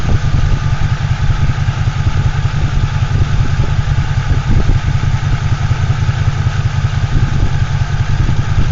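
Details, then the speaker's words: Toyota Tacoma X-Runner after a burnout, first start back: low, lumpy idle with uneven loping beat, idling around 500 rpm; rough idle, suspected misfire, coils checked and found seated. "Sounds like a misfire though."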